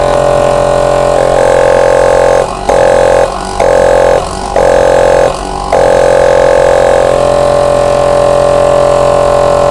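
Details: 25 L air compressor after its head was reset and cleaned, filling the tank: steady motor hum at one even pitch with a few brief dips under music; runs smoothly and cuts off at the set pressure.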